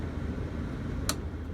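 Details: 1996 Dodge B350 passenger van after replacing the corroded, broken heater blower fan resistor, which had allowed only high speed: steady, even low whoosh at medium speed with no rattle, scrape or wobble; blower running normally.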